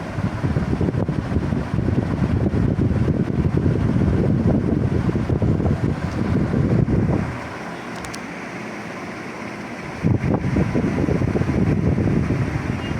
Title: Super Asia golden series 56inch ceiling fan review and humming sound.